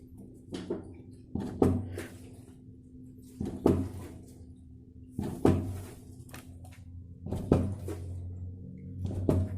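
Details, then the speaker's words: Old Royal Enfield on main stand, rear wheel in the air, front end rocked up and down: hollow clunks about every two seconds as the front fork rebounds; suspected internal fork piston/spring fault, fork to be opened. "आप सुन सकते हैं एक आवाज आती है। जैसे ही हम सीसॉ करते हैं तो नीचे जो है वो चक्का रोड पे जब यानी कि जमीन पे जब अपट रहा है, वो टाइम पे इसका जर्क जो है वो अंदर पिस्टन जो है स्प्रिंग को देके वापस रिटर्न आ रहा है। इसका मतलब अंदर कुछ ना कुछ गड़बड़ी है।"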